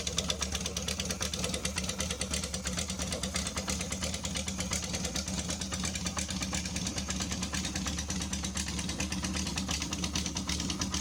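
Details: Honda CB550 Supersport cafe racer, cold engine, one carburettor choke on: fast even four-cylinder patter, crisp exhaust pulses, no knocks or misses; healthy.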